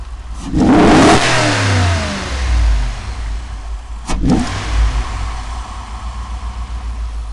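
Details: Cadillac STS engine revs up, then settles back to an uneven idle with a rhythmic stumble and lumpy pulses; the misfire was diagnosed as caused by bad piston rings.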